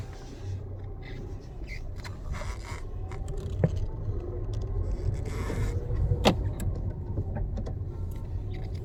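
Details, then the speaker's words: Tata Altroz after left-side rattle repair, driven through first to fifth gears with and without acceleration at 60 km/h: road and engine hum with only faint odd clicks, no repeating left-side rattle; cabin quiet, no body rattle. "कोई नॉइस नहीं, कोई भी नॉइज नहीं है। 60 है, स्पीड 60 की है, कोई भी नॉइज नहीं है।"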